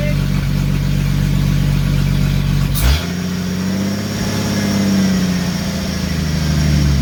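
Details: Jeep YJ with 4.2-to-4.0 engine swap and AX15 transmission on first start, O2 sensor unplugged: loud exhaust drone holding a fairly quick, even beat; owner suspects a high idle but can't tell over the loud exhaust.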